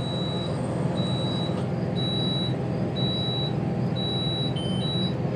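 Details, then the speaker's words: Fairway RV rental motorhome: high beeps about once a second over a low idle rumble, the leveling system signaling that all jacks are retracted and it is ready to drive. "that now means our jacks are all up and we're ready to roll there."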